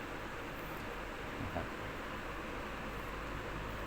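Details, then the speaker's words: 16-inch standing fan after repair for oscillation that clicked and wouldn't complete its sweep: steady, even airflow hiss, oscillating smoothly through the full sweep with no clicking or catching. "หมุนได้ครบรอบนะครับถึงจะได้นะครับก็ต้องไม่ดังคึกคักๆนะครับ"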